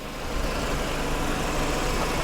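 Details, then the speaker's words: Mercedes SLK 230 Kompressor at salvage auction: steady even engine hum with low rumble, no knocks or misses; runs okay. "it sounds like it runs okay but it's kind of it's a heap"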